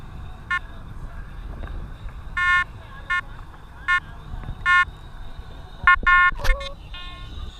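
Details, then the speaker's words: Detector Pro Pirate (Headhunter) metal detector used in saltwater, which it isn't made for, discrimination at zero, heard through headphones; irregular beeping bursts around one kilohertz whenever the coil moves, saltwater ground chatter. "as you guys can tell it's not immediately chattering but once you start moving the Machine around it gets chattering"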